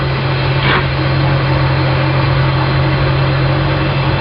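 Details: I/O (sterndrive) boat motor at spring start, warming up at idle toward 155–165°F, shifted from neutral into forward; steady, even low burble with constant beat, no knocks or slips, gear engages smoothly, running healthy.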